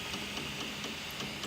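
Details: M3D Promega 3D printer extruder: sharp uneven clicks every quarter second over motor whir as the stepper skips and can't push filament to the hot end, causing under-extrusion; free-spinning spool.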